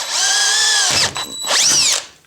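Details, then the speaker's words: Drilling aluminum through a pilot hole at slow speed with downward pressure: high steady whine that drops as the bit bites, then spins up again. Cuts fast and cleanly with big curls. Normal drilling. "look see those nice big curls that came off there did you see how fast I went through there nice big curls"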